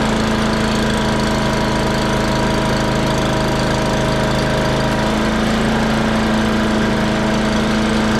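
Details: Free old wood chipper's small single-cylinder engine after a new kit and spark plug gapped at 30: steady, even beat with constant pitch, no stumbling or knocking; runs smoothly and healthy.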